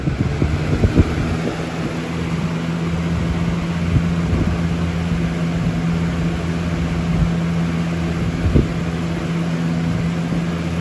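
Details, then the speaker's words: 2000–01 Lasko box fan model 3733 on high speed: steady low motor drone with occasional knocks and rattles; fan shakes badly but doesn't tip over. "yeah, this fan shakes like crap. But it's not blowing over."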